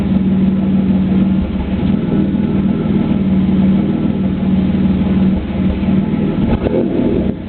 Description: Video of my 3.8 camaro with a bad spark plug. If you listen closely, you can actually hear the exhaust break up several times during idling and reving.